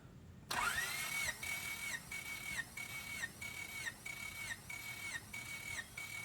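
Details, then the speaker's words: Freshly rebuilt Honda D16ZC, 9.7:1 compression, never run: steady high starter whine dipping evenly each compression stroke; cylinder 1 retest 175 PSI, normal cranking compression, probably also priming oil pump before first start. "so it's 175 PSI and this hasn't run yet so I'm glad to see this because it's more realistic"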